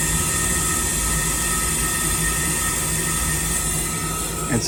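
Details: 2002 Trane gas pack, no-heat call with burners short cycling, four-flash high limit code and barely moving overheating ECM blower motor: steady high-pitched squeal over constant motor drone; inducer motor judged in need of replacement, likely failing bearing not confirmed.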